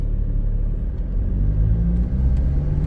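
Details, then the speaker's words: Diesel Ford Ranger after injector repair, on a road test pulling away gently in first and second gear. Steady low rumble with no injector knock under load and good acceleration: passes. "เกียร์1เกียร์2นะฮะผ่านนะครับไม่มีเสียงแล้วก็อัตราเร่งดีนะครับ"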